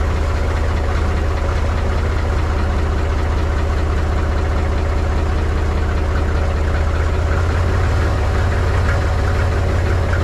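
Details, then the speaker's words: Mahindra 3525 tractor diesel, cold start at 19°F after over a month unused, weak battery: deep, heavy chug at a slow beat with uneven firing while struggling to settle at idle; smoothed out after a few minutes. "she's definitely cold this morning she doesn't like too much"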